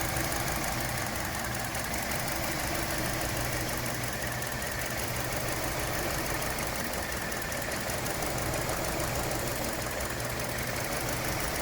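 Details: 2017 Hyundai Elantra intermittent engine misfire at idle, irregular thump every few seconds over a steady hum; ongoing issue that mechanics couldn't reproduce, No. 2 coil already replaced and computer updated; console and engine bay views.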